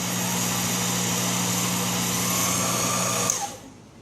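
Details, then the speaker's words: Sherline 4000 lathe (Craftsman model 4000, built 1980) during an aggressive 0.020 in cut: steady high motor hum with cutting hiss, strong and even, then winding down as the tool backs out; normal loaded operation. "And you can hear the motor is definitely telling us that it's putting out some power here."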